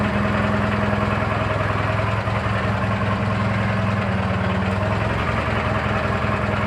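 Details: Briggs & Stratton 18 hp opposed twin, after air filter change, due an oil change: fast, fairly regular chatter about three to four ticks per second over steady idle; unidentified knock inside the engine.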